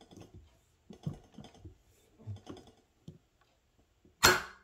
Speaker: what's happening is my needle is getting stuck in the nipple